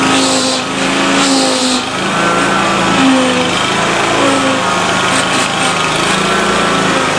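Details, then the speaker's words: Exmark Lazer-Z zero-turn mower running after a hydraulic oil and filter change, pump release open to purge air: a steady high-revving small engine with a light clackety rattle on top. A loose flywheel fan is clattering. "and then that little clackety-clack noise you heard on the motor bride digging with motor sounds bad that's that fan on that flywheels loose"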